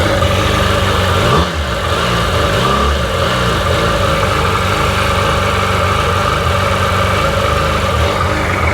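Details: Rebuilt Sea-Doo GTX DI 951 two-stroke, first run on the hose with cooling water connected, no driveshaft fitted; even steady idle with one brief throttle blip that settles right back; running smooth, no leaks; normal idle.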